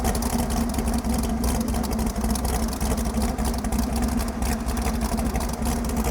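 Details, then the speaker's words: Ford Pinto wagon with stock long-block 454 and Comp Cams Extreme Energy towing cam, distributor just rotated: fast, raised idle with hard crisp chatter, claimed 40–60 degrees advance; over-advanced ignition timing, high idle. "If you ever wanted to know what 60 degrees of timing advance sounds like, Is that what it's at? that's what that is. How does it even start?"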